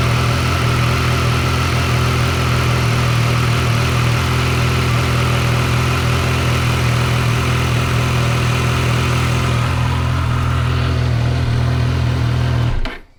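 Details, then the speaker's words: Triumph Tiger 900 GT Pro (about 10,000 miles) and Tiger Sport 800 (4,900 miles), cold after a week unused: fast, even cold idle with a steady hum, no cam chain clatter, clean shutdown; healthy. "First, let me tell you, all the bikes have been sitting out here for a week or so, haven't been started, so they're cold. It's going to be a cold idle, so it's going to be pretty fast."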